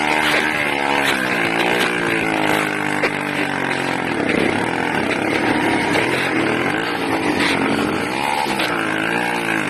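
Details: 80cc two-stroke engine, loud and buzzy, with revs wandering up and down unevenly; erratic running, owner suspects a carburetor or intake manifold leak, unconfirmed.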